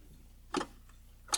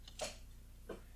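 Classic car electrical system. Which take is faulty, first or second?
first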